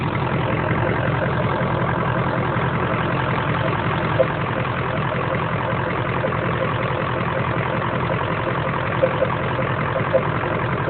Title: Weird noise coming from air filter #2